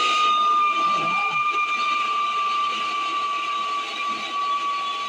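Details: 1978 Camaro heater blower motor with AC deleted, shorter replacement squirrel cage, jumped to a hot wire and ground: loud steady high squeal over the motor hum; motor likely needs replacing.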